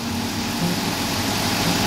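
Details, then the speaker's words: 2005 Dodge Grand Caravan idling with A/C on after radiator fan replacement: steady even whoosh of radiator fans, no wobble or vibration; old fan vibrated badly, new fans running smoothly. "The fans are running. I got the air conditioning turned on. That's really easy to make your fans turn on. So they're running. It's nice and smooth, not vibrating the van anymore."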